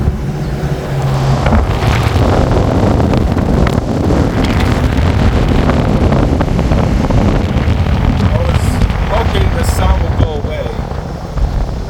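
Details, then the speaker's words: 2007 Nissan Xterra after fan clutch replacement: a constant heavy low roar like an 18-wheeler, with wind noise on top. Replacing the fan clutch did not fix it and the source is still unknown. "Alright guys, so I changed the fan clutch and the car still sounds like an 18-wheeler."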